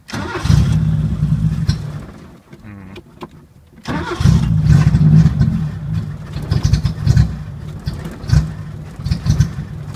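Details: 1980 Chevy Luv, carbureted engine barely run in years, after sight-glass leak fix: catches, revs unevenly, drops out, runs ragged; no steady idle. Owner suspects electronic carburetor parts not working; cause not confirmed.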